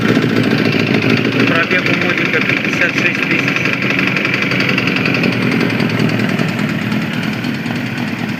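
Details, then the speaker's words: Suzuki GSX-R 1000 motorcycle idling, arrived with a complaint of knocking in the engine; uneven, rapid tapping about three knocks a second over the engine note, a knock from inside the motor, cause not yet found. "Приехал с жалобами на стук в моторе. Сейчас быстренько послушаем."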